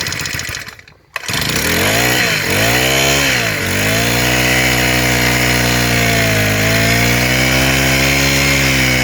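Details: Rebuilt small four-stroke engine with valves checked and carburettor fitted, being revved while new after carburettor mixture tuning: smooth, even exhaust note climbing and settling steadily, no misses or knocks. Normal revving.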